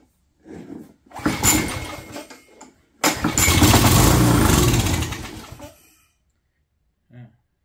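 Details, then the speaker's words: Craftsman 22" walk-behind string trimmer, Craftsman flathead engine, clean air filter, sprayed with starting fluid with choke open: catches with a rough uneven burst, runs seconds then dies; fuel starvation from stuck carburetor needle and seat, new carburetor ordered. "it's going to run on starting fluid that's what's going to happen see what happens now yep the carburetor opening the choke while I spray that in there"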